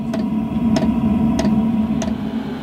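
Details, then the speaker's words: Chinese diesel heater fuel dosing pump heard inside a motorhome as the heater ramps to full speed. Evenly spaced thumping clicks over a fan hum, after fitting a sound-deadening jacket and vibration bracket, which seemed to give about 20–25% less noise. "I don't know if the microphone will pick this up or not but you can just about hear the pump clicking away it's more of a more of a thump than a tiny tick"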